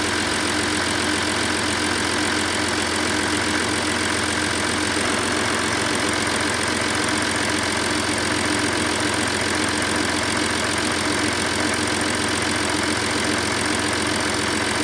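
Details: Audi A6 C6 2.7 TDI diesel, fully cold, with Castrol Edge 5W30 oil: steady, even diesel clatter at idle with no odd knocks or speed changes; normal cold idle.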